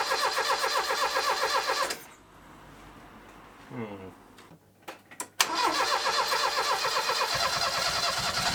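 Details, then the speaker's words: Base-spec three-door Ford Escort Mk3 with a newly fitted Weber carb, fed from a jerry can, first start: catches into a loud, raspy, blatting exhaust note at idle. Exhaust sounds blown. "and then I got to S out that exhaust cuz it sounds blown"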